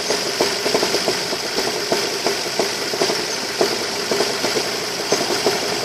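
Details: Ford Focus 2, 2.0 L 145 hp 16V Duratec, at idle: sharp, regular knocks several times a second over a steady idle; owner reports heavy drumming at idle, source unconfirmed.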